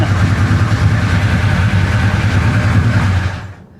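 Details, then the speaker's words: 1966 Chevy Impala 427 big-block V8 idling in the shop, very loud and clattery with fast busy tapping over the rumble until shut off; loud valvetrain noise with low oil pressure reported. "Boy, she is loud. Oil pressure is not very good."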